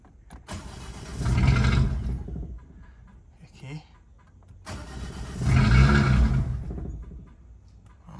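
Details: Freshly rebuilt Toyota Ractis 2SZ-FE engine after reconnecting the spark plugs: two cranking bursts of about a second each, with the starter churning but the engine never catching. It cranks but won't start.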